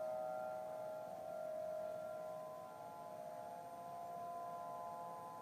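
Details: Faint steady high-pitched drone of stacked tones in the sky, Denver CO, early November 2012; heard same time and weekday a month earlier, ending in a "powering off" sound; owner assumes man-made, possibly distant siren, source unknown.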